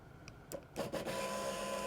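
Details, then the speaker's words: Chevy HHR fuel pump powered by jumping relay terminals 30 and 87 with a fused jumper wire at 13.97 V: a click, then a steady, even electric hum; pump and wiring harness work, relay control not yet confirmed; fuel pump running normally. "can hear the fuel pump run so what does that tell me or tell you out in the driveway well it tells me your fuel pumps working"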